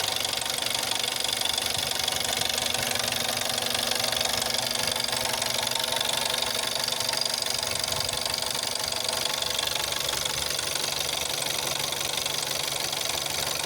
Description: Шумы, стук и треск двигателя при запуске и работе на холодную 1.4 tsi CAXA. Особенно шум заметен когда двигатель не заводил более 3 дней. После прогрева треск и стук пропадает.